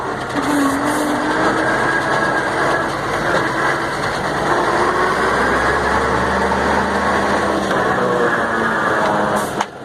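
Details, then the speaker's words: Mercedes-Benz 1634 diesel truck in gear, noise only on lifting off the accelerator: droning, growling rear rumble traced to the differential, from a loose pinion nut letting it shift and vibrate; gearbox, differential and engine had been serviced. "agora parece que é aqui ó parece que é no diferencial ó"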